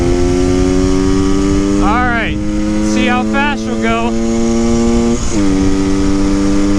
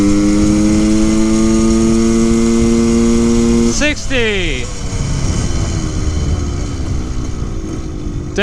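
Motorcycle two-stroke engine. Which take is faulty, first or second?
second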